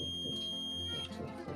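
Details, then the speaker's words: Boot cable (mechanic) beeping on DC power supply and drawing current (auto ampere); it still beeps with the front cable connections removed. Steady high beep about a second then cuts off; the fault is in the circuit, a shorted MOSFET-type component. "ये मैंने रिमूव करके भी चेक किए हैं आगे से इसके कनेक्शन सारे, तो ये फिर भी ये बीप दे रही है। दरअसल इसके सर्किट में मसला है।"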